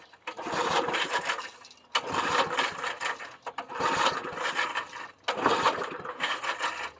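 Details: 1990s Sears Craftsman 2400 W generator, on choke: four recoil pulls, engine turns over but never fires; turned out it had no fuel, ran after fueling and priming the carb.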